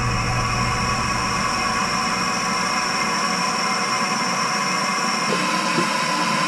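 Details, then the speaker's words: Electric water heater filling at full flow after water turned back on at a summer house, power kept off until full: steady loud rush of water with no banging, sputtering or hammering; normal fill. "Full flow. We can hear the magical sound of a water heater filling"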